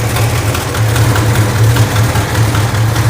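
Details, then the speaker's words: 1969 Plymouth Barracuda, neglected, running at idle: loud deep idle with a faint quick tick on one side, a recurring problem; owner hopes it is an exhaust leak, not yet pinned down. "okay I hear an exhaust leak I hope that's an exhaust leak come here I hear it yeah this is like one of the problems that I had last time I was running it"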